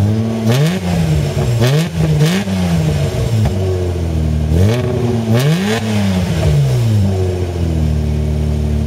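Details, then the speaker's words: Mazda MX-3 with 1.8 V6 (K8), engine revved repeatedly: a light clacking noise at the front of the car rides over the revs and grows louder as it warms. A part was recently replaced on suspicion of a bearing; source unknown. "that noise is kind of like a clacking R Ling down"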